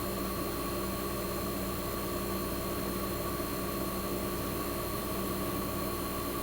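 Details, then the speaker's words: 1965 Fedders Weather Wheel air conditioner warming up after cold start in a cold shop, condenser fan cut off with only the evaporator fan running, as in a defrost cycle, to build head pressure: steady even hum, frost forming; compressor sounds fantastic, normal. "Sounds absolutely fantastic."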